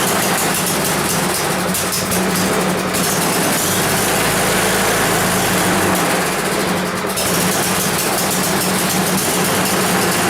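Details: 10 HP Tecumseh engine on a Yard Machines snow blower that had sat a long time, running at a steady, even speed after repair with no knocks or misses; it sounds healthy.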